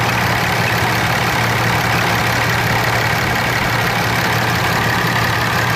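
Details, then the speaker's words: Cummins diesel truck at steady idle after an AC recharge, though the system may still be slightly low: constant low hum with no knocks; AC compressor operating normally at idle. "but it is working definitely have air conditioning now"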